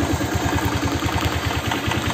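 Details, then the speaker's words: Old Honda Vario scooter, small single: quick, steady low tok-tok knock at idle from the middle of the engine, not the CVT side, clearer with exhaust outlet blocked; cause not confirmed; engine knock. "suaranya mesin halus-halus tapi kayak ada suara kayak tok tok tok gitu teman apalagi kalau kita tutup lubang knalpot ya ini suaranya jelas banget"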